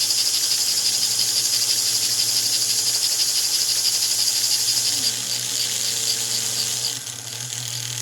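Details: 1949 American Flyer #322 Hudson locomotive motor, after fixing armature bounce and backing off over-tightened screws: a steady, high-pitched whir with a light, even buzz and no binding; it runs okay, though the darkened field coil may be heat-scorched.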